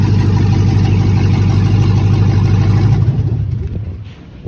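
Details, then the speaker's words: 2009 Chevrolet Express van, 96,002 miles, just started: loud raspy exhaust drone with steady puffing about three per second as it moves; exhaust or catalytic converter issue suspected. "Once again, she started right up. You can hear the exhaust issue."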